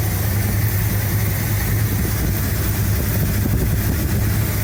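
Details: 1975 Cadillac Fleetwood V8 at idle during valve cover gasket replacement: a brief run after vacuuming out debris that fell in. Deep, steady, even rumble with no ticking or knocking; the engine idles normally.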